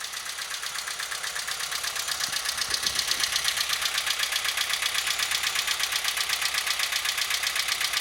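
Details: Engine knocking and dieseling at idle: sharp, even metallic ticking about four per second from up top; culprit found to be worn rocker arms.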